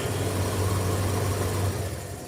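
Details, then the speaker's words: Dryer running with a bent fan shaft, one side of the fan sitting higher than the other: heavy low droning hum with a rhythmic wobble that fades as it winds down; fan imbalance vibration. "This bit is more up than the other bit, hence why it goes out of balance."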